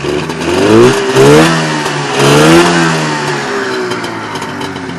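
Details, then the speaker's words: Polaris TXL twin-cylinder two-stroke snowmobile engine, freshly rebuilt with home-bored and honed cylinders, first start and break-in, oil pre-lubed: crisp throttle blips rising and falling cleanly, then a steady burbling idle; healthy, distinctive TXL sound. "hopefully you can pick up on the sound of txl makes from that video i love the sound of the txl"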